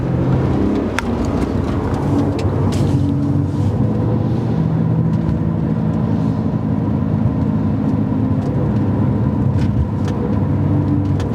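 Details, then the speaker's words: BMW 130i driving above 30 mph, microphone moved toward the rear: deep, steady whirring drone, not high-pitched, regardless of revs, from a worn wheel bearing. "I don't know if you can hear it, but it's like it's definitely not high pitch. I'd say it's like a deep whirring noise, and I notice it when I'm sort of going above 30 miles an hour."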